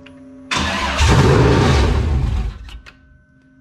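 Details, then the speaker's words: LQ9 V8 with Texas Speed Magic Stick 4 cam on run stand, Holley Terminator X handheld base tune: catches, runs rough about two seconds, sags and dies, won't hold idle. "it's not one to idle see if we can hit the gas here"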